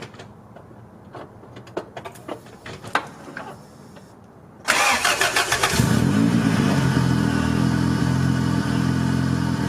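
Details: 1990 Honda Civic B20B with newly installed Crower aftermarket cams. A few seconds of cranking, then a cold start into an even, steady idle with no tapping or ticking; the earlier valve-cover-side noise is gone. Normal idle.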